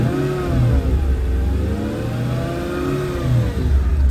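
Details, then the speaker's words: Mercedes W210 with Comand 2.0 and retrofitted Bluetooth aux streamer plus filter, volume high, phone near speakers: engine revved twice with no alternator whine, only normal hiss; filter worked. "I know how it shows up on camera but that's nearly info to me especially if you have music playing you will not hear it so that was a success"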